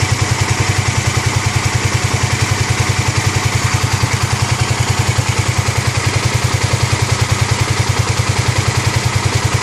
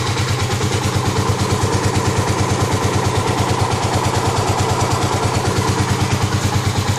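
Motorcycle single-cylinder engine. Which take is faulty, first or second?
second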